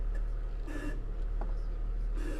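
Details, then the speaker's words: BMW X5 E53 at a standstill, engine idling, steering wheel turned: two short, dry creaks, seemingly from the driver-side front, where the tie rod was then inspected; cause suspected, not confirmed. "It's more of a creaking noise, and started it up as soon as I turned the wheel. I knew what it was."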